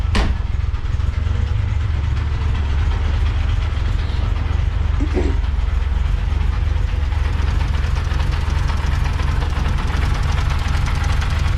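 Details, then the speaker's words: Honda Civic first-gen 1970s with B16A swap, odometer shows 75,000 km: idle with a coarse, continuous grinding rumble and uneven chatter; bad bearing suspected on clutch side, timing tensioner or alternator, not yet found; fuel pump also whines. "so there's a really bad noise down there it's a bearing of some description it could be on the clutch side could be on the timing tensioner could be on the alternator i think it's on this side but i need to find out"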